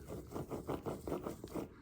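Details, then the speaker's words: Removed rear hub-and-bearing unit from the driver's side of a Nissan Z33, turned by hand, gives a gritty rasping scrape about five times a second; worn bearing had caused a rear whine at 40–50 mph. "so at high speeds uh that was making well high speeds meaning like 40 to 50 miles an hour i don't know if you can hear but there's a whining noise coming from the rear end"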